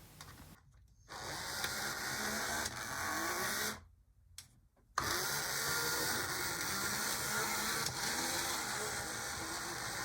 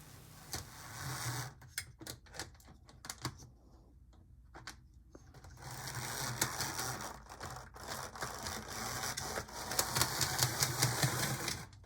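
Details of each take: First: HO scale model locomotive with a vertical motor, after repair: small motor whirs with a busy high-pitched gear rattle and brief gaps; now running but not the quietest. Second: HO-scale model locomotive (HM/Mojano) whirs in bursts with sharp clicks about three times a second, from a gear knocked out of place rather than a cracked gear.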